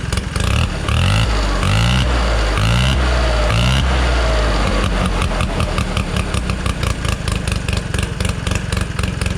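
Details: 1969 Polaris Colt 303 Wankel rotary snowmobile after years of sitting, reassembled after carb adjustment. It starts with a few throttle blips, then settles into a fast, even buzzing idle with no stumbling: normal running.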